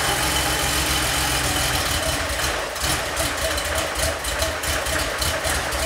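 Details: 3.2L Porsche 911 Cabriolet after head studs, cleaned injectors, drained old fuel and restored spark: engine catches and holds steady, slightly lumpy idle with even exhaust pulses, no knocking; running properly now.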